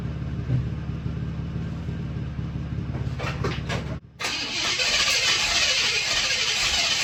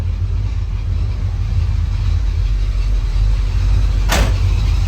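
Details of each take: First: 1979 Buick Regal after tune-up with new spark plugs and plug wires: steady starter churn about 3.5 beats per second, then a sharp pop and rough sputtering; ran poorly, owner suspects plug wire routing; backfire while cranking. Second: 1979 Buick Regal, running after a tune-up and rewiring: steady, even low rumble with no misses or knocks, one brief click near the end; running smoothly.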